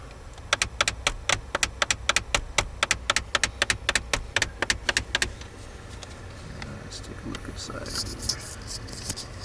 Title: 2012 Jeep Wrangler recirculation door actuator clicking noise